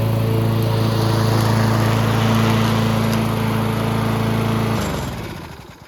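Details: Yard Machines (MTD) 22" High Wheeler push mower, 4HP Quattro Briggs & Stratton, after all found issues corrected: even, steady note holding speed under cutting load, winding down smoothly at shutoff; running healthy.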